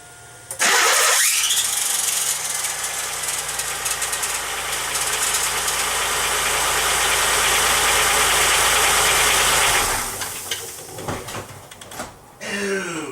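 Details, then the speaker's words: 1995 Pontiac Grand Am 3.1L V6, new replacement starter installed with no shim. Harsh, raspy grinding the whole time it cranks, about nine seconds. Suspected cause is too little clearance between the starter pinion and the flywheel teeth. Shims planned. "That sounds horrible. So it sounds like, you know, we probably have not enough distance between the teeth and the starter and the teeth and the flywheel."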